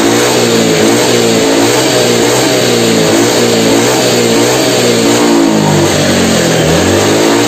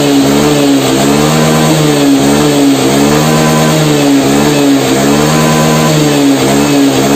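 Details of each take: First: Honda Beat FI injection scooter: revs rise and fall but stall out at the top with the throttle slide fully open; top-end power loss blamed on a wrong throttle position reading, with injector cleaned and plugs checked normal. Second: Honda Beat fuel-injected scooter that had lost top-end power, revved after the fix of adjusting the TPS with a hose instead of replacing it: a strong, steady high-rev drone climbing cleanly without stumbling; pulls properly.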